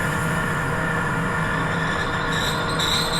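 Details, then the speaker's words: Lathe grooving a bronze gland, groove warming with little coolant: steady hum turning into a thin high squeal as the grooving tool chatters at the bottom of the groove. "So there there you can hear that squeaking there. That's actually chattering on the bottom of the groove. So they don't it doesn't like sitting there."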